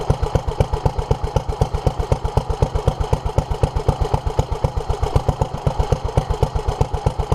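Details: 1947 Petter A2 single-cylinder engine running after its Zenith 24T2 carburettor was ultrasonically cleaned and its fuel pipes replaced. Slow, even thump of about four beats a second, no misses. Runs smoothly, but fuel still leaks from under the carburettor.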